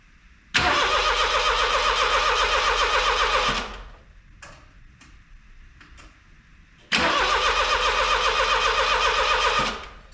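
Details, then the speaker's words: Daihatsu Mira turbo with a freshly charged battery and the ECU unplugged: two steady, quick cranking attempts at about four turns a second that never catch. Ignition lights are on but no fuel pump sound is heard. "Well, unfortunately, the answer is nothing is happening. I can't even hear the fuel pump. The engine is spinning over."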